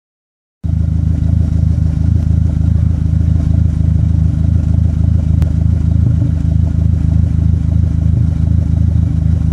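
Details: Dodge SRT-4 at idle with code P0304 (cylinder 4 misfire): steady low idle with a slightly uneven, lumpy beat about three a second as one cylinder drops out; plugs, wires, injectors and coil pack already replaced, intake manifold gasket suspected.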